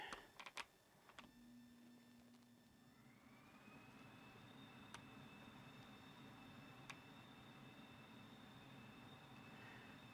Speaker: And you can even hear it whistling, it's pulling so hard on the filter.